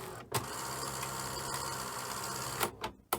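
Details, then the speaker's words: Sony SL-HF100 Betamax deck after transit damage, tape loading: motor whirs with strained uneven drone then sharp clicks and clunks as tape threads; servo issue, owner suspects capacitors. "Oh, that sounded a bit grim. Um Oh, okay. Oh, we've got a servo issue."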